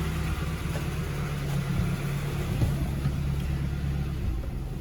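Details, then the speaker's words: 1990 VW Scirocco GTII on a near-freezing day, choke fully off: slow, low, steady rumble. The idle seems a bit low and probably needs adjusting, and the engine later starts missing. "um i think it's idling a bit low that's with the choke all the way off it's idling pretty low um i probably need to adjust that but it sounds lovely"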